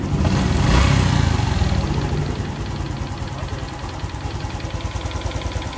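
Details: Honda Future 125 scooter at idle, rebuilt after cam chain tensioner damage with new oil pump and piston: steady low idle with a regular knock of about two or three a second; the knocking source is still unconfirmed.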